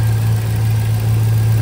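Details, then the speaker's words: 2006 Chevy Silverado with a used 5.3L V8 just cleaned, resealed and installed, first start with the transmission not yet hooked up: low, even idle with a steady beat and no knocks, ticks or rattles. Oil pressure and voltage good; normal idle. "seems to be good I don't hear any unusual noises"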